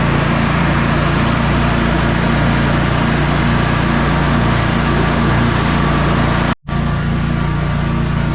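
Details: Sabre by John Deere twin lawn tractor after carburetor repairs and a new starter, test mow: steady, constant-pitch drone under mowing load with no knocks or surging. Engine running great.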